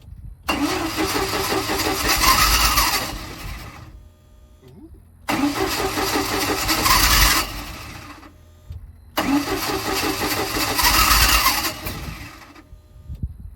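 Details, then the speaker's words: 1987 Bayliner Capri boat converted from carburetor to Holley Super Sniper 2300 EFI: three long cranking bursts of about three seconds with pauses, never catching; no-start because the wrong Super Sniper unit was selected in the setup wizard. "something's not right time to troubleshoot"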